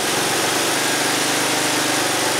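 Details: 2002 Mercedes-Benz ML320 after cleaning the plugged EGR valve and EGR pipe that set code P0400: smooth, steady idle with an even hiss and no stumble or hunting; the engine sounds healthy and repaired.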